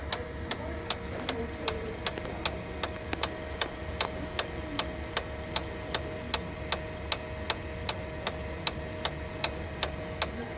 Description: Sharp MX6240N or MX7040N with loud ticking or knocking noise specifically during idle (not during a copy mode).